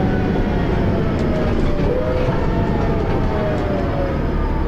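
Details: First Manchester Dennis Arrow bus recorded on board, which also has a slipping ZF gearbox. A heavy, low drone carries a faint wavering whine drifting in pitch, a strange noise whose cause is unclear.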